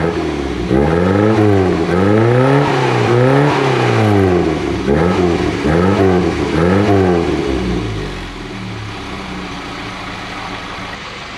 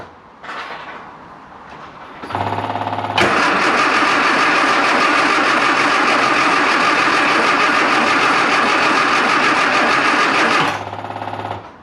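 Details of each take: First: Classic Mini Clubman Estate after cleaning the carburettor dashpot with brake cleaner and topping up its oil, not fully warm, water leak present: engine blips then settles to a steady even idle without misses or knocks; normal running. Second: Classic Mini Clubman Estate with a carb and a water leak: it cranks evenly at about 3.5 per second for eight seconds and never fires. A fuel delivery fault from the pump to the carb float chamber is suspected.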